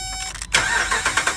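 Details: 2012 Dodge Ram with crank-no-start: brief starter cranking, then the engine catches and runs once the fuel pump fuse is fed power directly; bad TIPM fuse box with its internal fuel pump relay failing, fuel pump good.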